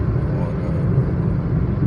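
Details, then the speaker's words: Toyota Passo 2016 1.0, after repair of pickup and misfire problem, heard inside while driving: low smooth even rumble, no knocks, ticks or rattles; quiet and healthy. "माशाल्लाह से गाड़ी बहुत soundless हो गई है किसी किस्म की कोई आवाज नहीं है बिल्कुल साउंडलेस कैपन हो गया"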